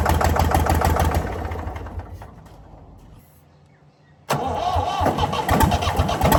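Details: Previously seized Ford 4000 diesel tractor on starting fluid fires, runs roughly, fades to a stall, catches again with uneven thumping; won't sustain alone, owner suspects throttle and air, possible diesel leak, knocking noted.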